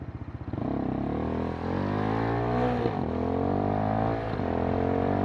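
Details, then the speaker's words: Kymco K-Pipe motorcycle with a 50-tooth rear sprocket, ridden in 4th gear around 35 mph: engine pitch climbs quickly and holds high and strained through the pull, revving hard for the speed because the sprocket is oversized. "I gotta downsize the rear sprocket. I went way too big with 50 teeth."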